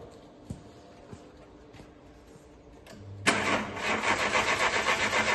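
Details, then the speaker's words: 1998 Citroën Saxo limited edition, long laid up: starter cranks steadily at about four beats a second but the engine never catches. Battery terminals are broken and the battery is on the charger; a bad battery connection is suspected, not confirmed. "we haven't been able to start this car and uh one of the things we want to eliminate a bad connection to the battery"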